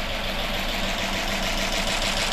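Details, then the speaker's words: 2005 Chrysler 300C AWD 5.7 HEMI after head and valve-train rebuild (dropped valve seat, destroyed piston and head); first start, idling with no coolant, busy clatter of lifters ticking until they pump up with oil. "it uh it's idling hear all the lifs Bing for oil so I'm going to shut this down for now"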